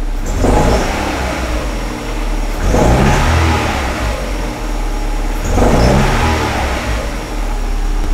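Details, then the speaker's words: 2006 Suzuki Forenza, waste spark ignition, after a cold-start severe multi-cylinder misfire with flashing check engine light: now idling okay but three quick revs stumble unevenly, still missing on rev up; weak spark from one coil. "Yeah, on the rev up, we still have a miss. Hear it?"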